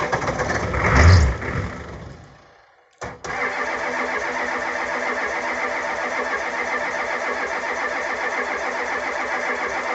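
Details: 1985 Ford F250 6.9 IDI diesel, 4-speed manual, stone cold at -17°C after sitting 4–5 days near -27°C with no anti-gel added: cranks steadily but never catches or speeds up; gelled fuel starving the engine.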